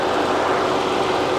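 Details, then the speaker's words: 2007 Saab 9-3 Aero turbo V6 convertible, hood open after a 5-mile drive, checked for smoke: a steady, even whoosh of the radiator fans with no rattle, scrape or wobble. The fans run normally. "make sure we don't have any smoke or anything that's of concern cooling fans running like it's supposed"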